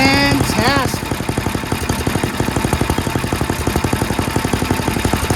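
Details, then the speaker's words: Yard Machines MTD 824 snowblower, 8 hp Tecumseh Snow King single-cylinder, after adjusting the idle screw, tightening the governor-to-throttle linkage and adding Seafoam: crisp, even popping at about four beats a second, no hunting; smooth steady idle. "dialed in the idle Jet screw uh the idle screw so that it idles well"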